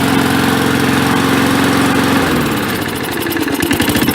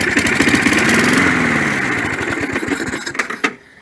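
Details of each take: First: 1965 Briggs & Stratton 82906 3 HP with wind-up starter, first start after long storage, main jet possibly clogged: steady engine hum sags briefly midway then recovers to even smooth running, no knock or misfire. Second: 1965 Briggs & Stratton 82906 3 HP wind-up-start engine, first start after unknown long storage: fires and runs a few seconds, the beat turns ragged and slows, then dies; clogged main jet suspected.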